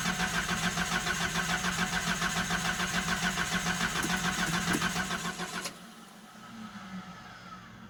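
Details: Nissan 720 cold start: prolonged steady starter cranking for over five seconds before catching and settling; hard starting, owner suspects failing fuel pump, unconfirmed.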